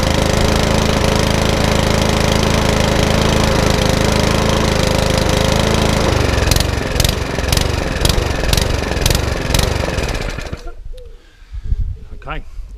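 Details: Mountfield HP164 lawnmower that keeps cutting out: runs fairly evenly, then sags and stumbles before cutting out; hunting from a gummed-up carburettor, which is then ultrasonically cleaned.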